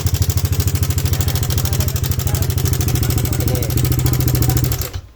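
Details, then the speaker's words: Yamaha NMAX version 2 scooter engine idling with a loud, fast metallic clatter on the beat from a faulty cam chain tensioner. If not the tensioner, the head must be opened to check camshaft bearing or rocker arm bearing. "So unang che-check diyan pag ganon ang tunog. So tensioner."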